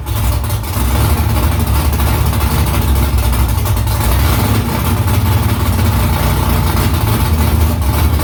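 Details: Car idling with newly installed headers and the exhaust back on, at its first start in about three weeks during a conversion: a deep, steady rumble with an even beat, no misses or knocks. Normal idle.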